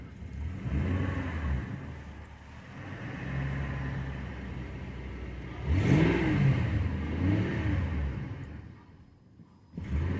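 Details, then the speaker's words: 2002 Ford Crown Victoria 4.6L V8, 103k miles, intermittent cold start: it revs, then bogs and nearly stalls when the gas is released, and the battery light flashes. Smells of unburnt fuel; idle air control valve suspected. "see it almost stalled that little battery light flashed on the dash there"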